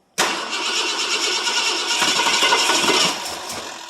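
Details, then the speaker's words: 1967 Ford LTD 2-door, 390 FE 2-barrel V8, cold start after 12 years sitting on old fuel: starter cranks steadily about three seconds but it won't fire; owner suspects he flooded it pouring gas into the carburetor. "I must have flooded the crap out of it pouring gas in it."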